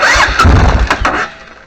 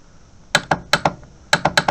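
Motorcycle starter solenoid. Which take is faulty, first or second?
second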